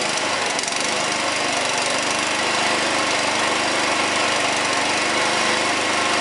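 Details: Honda four-stroke lawnmower that wouldn't start, after carburetor cleaning, started with choke on: catches and settles into steady, even run with fast regular beat, no hunting or sputter; fixed and running normally.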